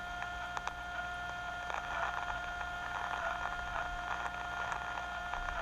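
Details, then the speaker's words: Hydraulic fluid power system with small aeration: steady tonal hiss with scattered crackles and pops as air bubbles pass through; minor air, not audible in the pump, but enough to damage variable displacement pump slippers. "Hear the crackles? Those little bubbles go through there."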